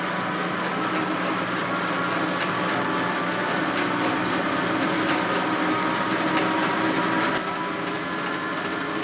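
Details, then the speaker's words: Old Rockwell lathe being restored, quick-change gearbox on its highest setting: steady run under an uneven clatter of about four knocks a second, mostly from the Reeves variable-speed drive. Variable-speed drive clanking. "most of the clanking you hear is coming from the Reeves Drive and I have the quick change gear box set on the highest setting which is not normal"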